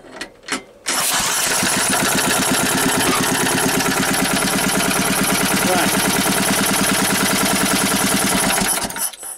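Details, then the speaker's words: Engine: brief cranking, then it catches at once and settles into a steady, even beat with no misses or knocks; a healthy start and run. "and just to show you it starts up with the laid-off"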